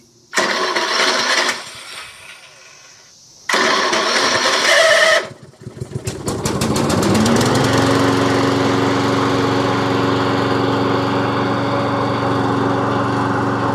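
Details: Troy-Bilt self-propelled push mower with a Briggs & Stratton engine, after repair of a no-compression fault: the electric starter cranks in two bursts, then the engine catches and settles into a steady, even run with no stumble.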